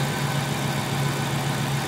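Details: Ford/Mercury Grand Marquis 4.6 V8 idling smooth and even with a steady low rumble, no stumble or skipped beats; misfire was traced to an unplugged coil, now all cylinders firing.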